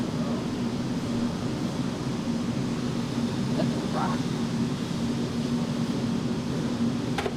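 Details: Engine on the dyno, revved under load after the timing mark was re-marked at top dead center. Steady, even drone with no stumble or misfire, clean and healthy. Normal running.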